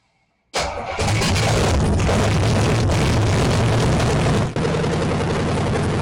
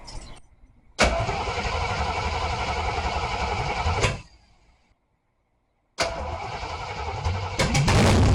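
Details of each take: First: AMC 360 5.9L V8 swap in 1976 AMC Gremlin, start attempt with fluids filled: catches at once, holds fast steady idle that never drops back because throttle linkage doesn't return. High idle from sticking throttle linkage. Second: AMC 360 5.9L V8 swap in 1976 AMC Gremlin, fresh engine break-in run: fires up, steady even rumble for a few seconds, cuts out, restarts and holds; temperature and oil pressure monitored, break-in went well. Normal running.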